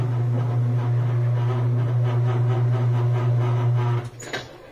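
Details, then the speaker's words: Whirlpool Thin Twin laundry center washer after re-tightening the leaning basket (temporary fix, worn shocks should be replaced): steady low even hum in spin with no knocking or banging, winding down smoothly; spin now works, normal spin. "so now this is a lot straighter back about where it should be there's spin"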